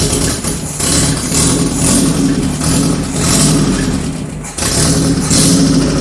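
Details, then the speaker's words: 1978 G12/612 engine on a stand, revived after sitting for decades: uneven idle, speed sagging and surging with a brief dip, because the electric idle control valve doesn't work. "this can't hold idle because it has this stupid electric uh idling valve and of course it doesn't work"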